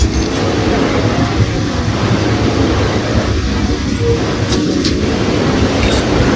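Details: Old USHA ceiling fan with non-working regulator runs with a constant low rhythmic clatter, like a train over rail joints.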